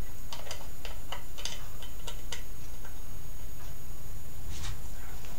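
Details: Homemade static-charge "lightning motor" powered by a 1.5 V battery: sharp uneven snapping clicks a few each second as the spark gap fires, with gaps where it arcs internally instead; gap needs adjusting.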